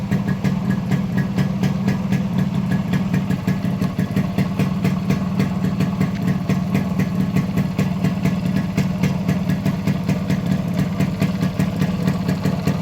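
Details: Modified Yamaha RX100 two-stroke with imported carburetor after fitting an Indonesian RX King CDI unit: deep steady thump at idle with crisp regular beat and clean pickup on revving, no cutting out; healthy.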